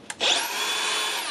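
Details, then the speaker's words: Makita DGA504 angle grinder with broken gear housing and seized gear, motor test: spins up fast to a smooth, steady high whine and winds down cleanly; motor works, fault is in the stuck gear. "Okay. Now we know that the grinder itself is working, but we have the problem here because this one's completely stuck."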